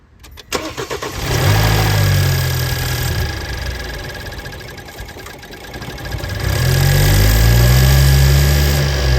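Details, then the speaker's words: BMW 428i F32 N20 after upgraded timing chain tensioner install, intake duct accidentally left unplugged: engine cranks, catches, then settles into an uneven, hunting, lumpy idle; rough idle from unplugged intake. "Wow, my dumb ass. That was totally my fault. I forgot to plug the intake back on. Um look at it. Yeah, no wonder I was like, "Why is it idling all weird?""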